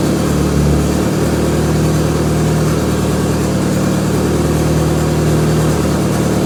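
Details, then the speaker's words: Mk2 Scirocco converted to rear-wheel drive with 20v 1.8T, first start: steady hum held well above normal tickover without hunting; idle too high, oil pressure good, AFR reading around 20. "listen to that really something a little bit high is really high so yeah she's alive she's running and running not too bad actually"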